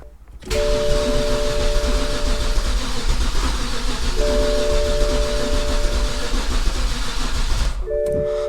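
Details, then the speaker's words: Flooded BMW E60 528xi from Copart, after refilling about 6 litres of 5W-40 oil, cranked to circulate oil; starter turns steadily with no firing; doesn't start, suspected coil and spark plug problem. "so let's crank it a couple times so the oil circulate"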